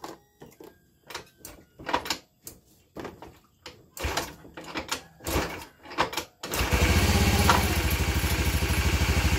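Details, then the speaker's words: Honda Vario 110 FI after replacing piston (OS 25), left and right crankshaft bearings (6007, 6205), seals and full CVT set; exhaust and air filter not yet fitted, weak battery: clanks then steady even idle, no knocking; engine now smooth, slight CVT rattle remains. "Oke Bro ini seperti itu untuk hasil dari Vario ini kan Bro setelah dilakukan pergantian laher bearing kruk as kanan kiri tadinya sebelum kita ganti Suaranya sangat kacau kan Bro ya guru-guru guru guru kita ganti sudah lumayan Mending lah ya"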